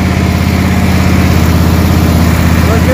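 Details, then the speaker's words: Small single-cylinder lawn mower engine idling steadily and smoothly with slight choke after reassembly; a missing plastic carburetor cap (replaced from a used carb) had let it run far too rich at wide-open throttle. Normal idle. "so let's put it back together and i'm going to show you what it runs like now a little bit of choke already you can hear it idle much better"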